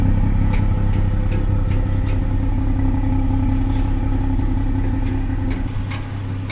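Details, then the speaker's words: BMW 340i idling: steady low hum with short high chirps repeating a few times a second, squeaking from inside the exhaust after a brace was scraped and packed down; unlike its usual sound, exhaust suspected, cause not confirmed. "Hey, what's that chirping? >> Oh, is it? >> It's there. It's like chirping here. Something like inside it."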